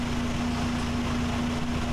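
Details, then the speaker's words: 1996 Mazda Miata with cleaned MAF sensor and throttle body, running while SeaFoam fed through crankcase ventilation hole into intake; steady even smooth idle without stumble, already running better, normal idle. "tube of seafoam in there and let it go to town i can't believe it it's already running better"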